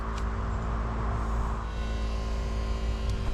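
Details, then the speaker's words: 7.3 Power Stroke diesel after fuel filter change, key cycled with engine off: steady low pump hum with fuel gurgling as air purges back to the tank, normal priming that quiets once primed; no leaks. "You can hear some fuel gurgling. That's what you want to hear. All the air being purged out back to the tank."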